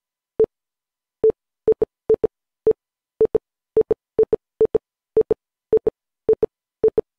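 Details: Windows 11 PC with a new boot drive, when opening or installing a program: short mid-pitched beeps, mostly in quick pairs with irregular gaps, Morse-like. Cause of the beeping unknown.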